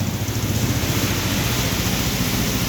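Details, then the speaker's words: Volta RM5X 160cc scooter, about 10,000 on the clock, started after variator service, new belt and 16–17 g rollers, plus oil and transmission oil change. Steady single-cylinder idle, even putter with no squeal or rattle; normal idle. "Evet motorumuz bakım işlerimiz tamamlandı motoru şu an çalıştırdım gayet güzel"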